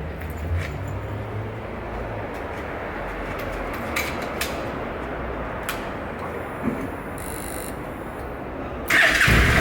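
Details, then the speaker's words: 2015 Honda NC700X after oil change with new OEM Honda filter replacing a leaking K&N, about 3.5–3.6 quarts added, started briefly before checking oil level: catches and settles into low, even idle under street noise, no knocks or rattles. "We're going to start it up, let it run for a sec, then we'll check the oil level and top it off from there."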